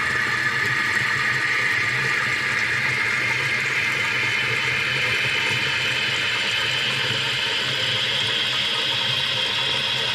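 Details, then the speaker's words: Running toilet after lowering the float: steady rush of water refilling the tank with no trickle, shutting off completely about 1.5 inches below the overflow top; fill valve working properly. "So you can see that that is at least 1.5 inches below the top of the overflow. And that would work very well. If it comes up there, you can hear that the water shut off completely."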